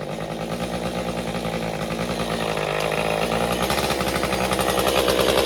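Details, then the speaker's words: Stihl MS201TC chainsaw after performance work, idling 30 seconds to tune idle fuel settings: uneven surging two-stroke chatter that slowly gets louder but never settles cleanly; rough running, cause suspected, not confirmed. "Okay, you can hear it in there surging. So, see, it's starting to settle in now."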